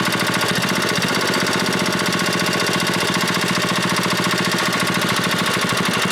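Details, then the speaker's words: 6HP Briggs & Stratton Model 14 flathead side-shaft single-cylinder engine, just revived: runs fast and busy with a faint knock in the firing beat, smoking a lot; owner suspects a rod knock, plans new rod and maybe piston. "It's smoking a lot. Sounds like a rod knocking too a little bit, so I'm going to have to probably put a rod in it and maybe a new piston too while it's apart."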